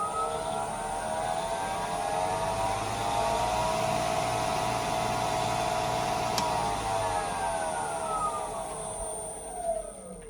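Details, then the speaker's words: Grizzly G0766 wood lathe, new after assembly, soft start: switched back on, whine climbs gradually over a few seconds to speed then holds steady, no jolt or rattle; normal soft-start spin-up. "I'm just going to turn it back on, and it comes up to speed slowly, so it doesn't just jolt on full bore."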